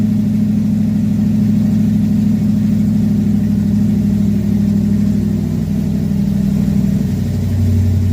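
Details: Carbureted Chevy V8 stored since 2010, first start in 15 years after new carb, fuel pump, plugs, wires, Hooker headers, custom H pipe and two Flowmaster mufflers; deep steady rumble with a lift in revs near the end, no misfire or knock; normal.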